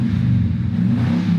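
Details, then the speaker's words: V8 with modified free-flowing exhaust, codes for low catalyst efficiency banks 1 and 2 and misfire: deep loud rumble with occasional pops, which are misfires caused by the exhaust modification. "and you can hear a little bit of pops in there when you modify the exhaust and have it free flow like that it's often going to mess with the catalytic converter data and every once in a while you're going to get a pop well that pop is a misfire"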